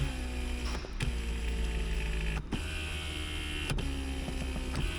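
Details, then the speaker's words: 1995 Chevrolet Corvette C4 LT1, 63,000 miles, power seat test: steady low motor hum with smooth travel forward, backward and tilt, soft clicks at start and stop, lumbar motor also sounds good; normal seat motor operation. "Forward, backwards, little tilt. That's a good seat. That's surprising."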